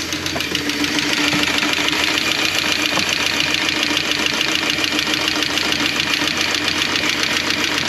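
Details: Renix Jeep engine with map sensor vacuum line suspected then ruled out, after reconnecting coil: idle stumbles with irregular skip breaking rhythm; small miss, cause not yet found.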